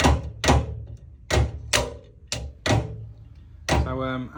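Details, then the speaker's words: Bathroom towel radiator's thermostatic valve (TRV) snapping shut at temperature, heavy irregular clunks; only that radiator in use, so shutdown cuts flow and the boiler shows fault F83. "as you can hear, when this bathroom towel rad thing shuts down, it's going to make that clunking noise."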